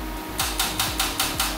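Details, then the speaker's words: Salvage wrecked 2011 Corvette Grand Sport C6 (LS3 V8) on jumper cables and a starter box: rapid metallic clicking about five times a second with no cranking. The battery supply lacks the power to turn the starter. "darn going to have to go get the jump box and see if that's going to do it because this is seems like it's not enough juice for [Music] it"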